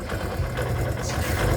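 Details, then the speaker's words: Kawasaki Barako 2 single-cylinder motorcycle, noisy and weak pulling: uneven, intermittent clatter like coins rattling inside over a lumpy idle, louder on throttle; points to a slack chain with a worn tensioner. "Parang may ano ah, barya-barya sa loob ah. Parang may barya no."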